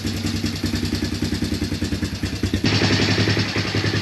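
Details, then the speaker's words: Early-2000s Honda Recon ATV single-cylinder just fired up after new piston rings to fix smoking: idle about 3.5 beats a second with a light top-end tick; valves need adjusting. "all right i got it just fired up sounds like a tick in the top end there i had to adjust the valve"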